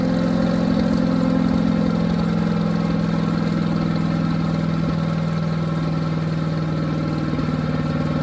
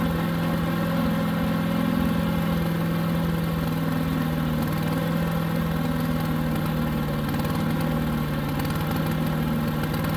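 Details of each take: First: New Harbor Freight Predator 212 chipper shredder that would only run on choke, after the fix and fresh oil: steady even low drone, no surging or misses; running smoothly. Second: New Harbor Freight Predator 212 chipper shredder engine, fresh oil, running with choke about three-quarters on: steady, even idle only with choke mostly closed.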